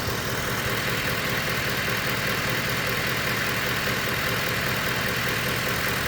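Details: 2010 Ford F-150 Lariat, 5.4 L Triton V8, just bought; the driver's-side heater also failed. Steady idle with a faint, regular tapping at two to three per second; knocking at idle, source unknown to the owner.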